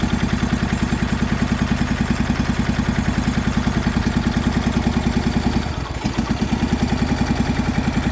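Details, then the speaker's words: MTD Yardman two-cylinder riding tractor, first start in years after valve adjustment and new starter, choked, old gas: fast, loud, uneven chuffing idle with a lumpy pulse and brief stumble; running on one cylinder because a spark plug wire was left unhooked. "I forgot to hook up the spark plug wire right here. It was actually only running on one cylinder, so that actually wasn't bad for one cylinder."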